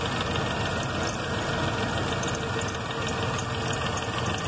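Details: 1995 Jeep Grand Cherokee 5.2, damaged wiring harness after relay/fuse box swap; just started after no-start, wetting spark plugs. Uneven, lumpy idle with irregular low thumps and knock-like unevenness under a steady hum, vacuum varying and TPS wandering: rough idle.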